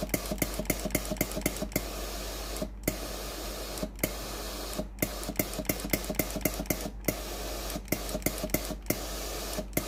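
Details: Philips PSG7014 steam-generator iron after its failed water pump was replaced (the customer's complaint was no steam): rapid regular pump ticking over a steady steam hiss, pausing briefly about every second. Pumping and steam output are normal.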